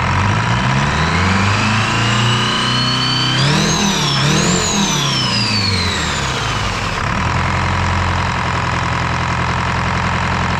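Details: Detroit 4-53T turbo two-stroke diesel with 7A77 injectors refitted after 9G90 failure and broken suction hose clamp replaced: clean, even drone revving up smoothly and settling back to steady run, no miss or knock; normal running.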